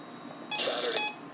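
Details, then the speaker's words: Recently bought Radio Shack radio sounding at about 3:42 a.m. in a quiet room: a loud, high, half-second electronic beep; alert beeping, reason unknown. "okay guys so i just woke up from a very loud noise and it's coming from my radio shack that i recently got"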